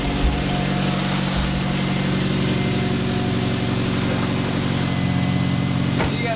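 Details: 2002 Mazda Protege5, first start after engine rebuild, freshly primed with about four quarts of oil: even, steady idle with no ticking, knocking or stumbling, no engine lights, some smoke; healthy engine.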